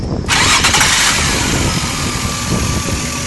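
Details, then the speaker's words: Engine locking up on startup: rough, uneven catch with irregular heavy beats and a buckling sound while cranking and firing instead of a clean start; engine binding during cranking. "as you can hear it's a buckling sound just a minute ago while it was starting"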